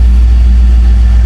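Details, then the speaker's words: 2001 Chevrolet Tahoe Z71, 5.3 V8, with a misfire complaint, reassembled with the MAF sensor and started: deep, even idle rumble with no skips or stumbles; no misfire so far. "Ahí está bueno hasta ahora no está fallando"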